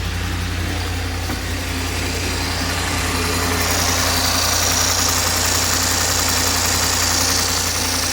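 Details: 2004 Land Rover Discovery 2 at idle after belt drive system replacement, which had a horrible flapping before: a smooth, steady hum with no flapping, slapping or belt squeal; normal idle.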